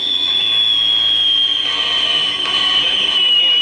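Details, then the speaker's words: 1950 Arvin 450T AM tube radio (AA5, RE-281 chassis) during capacitor/resistor work, volume high: steady high whistle over radio hiss with occasional pops, interference squeal from the nearby camera. "I've gotten the receive pretty high before your hearing the squeal of the camera and there's some popping coming in there every once in a while some sort of interference"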